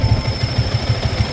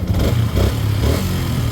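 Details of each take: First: Yamaha Sniper 150/155 at idle: thin steady high whistle over a pulsing idle from the worn water pump seal, impeller and impeller bearing; needs the repair kit so oil and coolant don't mix. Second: Yamaha Sniper 150/155 at 4,383 km odometer, idling after replacing the water pump seal, impeller and impeller bearing: soft, even low thump with no whistle; running normally again.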